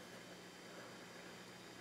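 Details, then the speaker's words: Garrard 2025TC record changer in a 1960s or early 70s (uncertain) Electrohome Milford console stereo, after freeing a stuck motor from years of disuse: steady smooth hum, idler wheel turning freely with no catching or dragging; normal motor run. "Okay, we have off Phono turn it on, and your little idler wheel is turning. So this is now working. So it was just a stuck motor."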